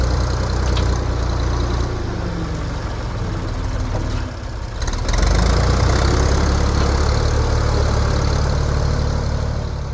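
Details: 1973 Ford 4500 industrial diesel backhoe, revived from scrap, digging stumps: deep steady diesel rumble briefly dipping under load then recovering, even and healthy; machine ran great all day.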